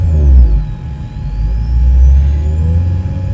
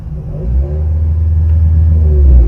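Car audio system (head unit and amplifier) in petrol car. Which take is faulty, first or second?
first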